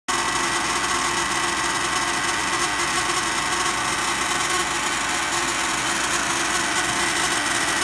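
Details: New condo furnace inducer motor/fan: loud steady buzzing whir with a harsh rattly edge, occurring randomly and triggerable by touching the mounting bracket; possibly the fan blade. Cause suspected, not confirmed.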